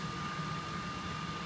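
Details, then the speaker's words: Three-phase machine running on Phase Changer AVS converter as single-phase input is lowered toward 200 V: steady electrical hum with thin high tone, output holding just over 400 V, machine running normally. "ut is still just sitting there over just over the 400 volt Mark and you can hear in the background our machine still operating perfectly well"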